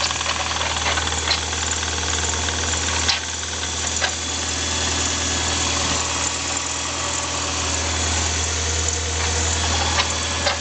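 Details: Stock 1991 Toyota MR2 Turbo, cold start after sitting for days: harsh metal-on-metal scraping grind over rough warm-up idle, usually on warm-up; owner suspects compressor wheel scraping housing (shaft play), clicks are an exhaust leak.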